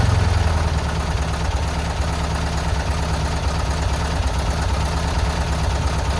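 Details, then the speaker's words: Free VW Bus off the road about 30 years, engine removed and serviced after mouse-nest cleanout, running with exhaust just refitted: low, uneven rumble with lumpy, irregular beats, almost idling, a rough, unsettled idle. "There we go. It's almost idling. No way. No way."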